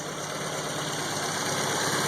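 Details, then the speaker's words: IPD-built 1971 Volvo 142 idling cold, with the fuel ratio controller turned richer: smooth, even idle with a steady hum and no stumbling or misses; the richer mix smoothed the idle; normal idle. "Now that it's cold, I just turned up the fuel mix to be more rich, and you can see how the idle just smooths right out."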